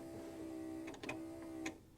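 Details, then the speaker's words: 1975 MGB, fuel pump switched on via inertia switch with broken cap: steady mid-pitched electric hum with light clicks as pump runs normally; fuel leaking from carburetor even at half a psi. "you got to be very gentle with it it does come on okay and i'm going to show you that it will run off of its own gasoline"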